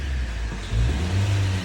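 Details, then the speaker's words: 2008 Toyota Corolla after fuel injector removal and cleaning for misfire, no-start and power loss; short smooth rev that climbs and settles cleanly with no stumble or missed beats, idle rpm correct; engine repaired and running normally. "जी हां तो दोस्तों देखिए गाड़ी की starting बिल्कुल okay हो गई है आरपीएम् बीएफ बिल्कुल सही है"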